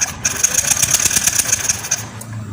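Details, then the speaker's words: Yamaha Lexi fuel-injected scooter, dead with ignition lost: starter spins engine with fast even whir and rapid ticks but never fires, no spark at plug lead, after finding broken orange coil wire from ECU. "Oke teman-teman, di sini di kabel busi Pak, pengapian masih tidak ada Pak ya."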